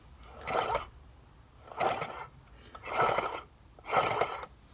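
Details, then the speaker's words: Eaton M90 supercharger for Mazda RX8 after needle bearing replacement, rotated by hand: rattle gone but four slow rasping scrapes about one per turn, slight play remains; metallic scraping, source unknown. "still hear some metallic scraping of some kind so I'm not sure what to make of that"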